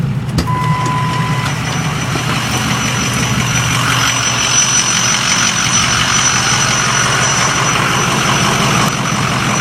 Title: Squealing noise 2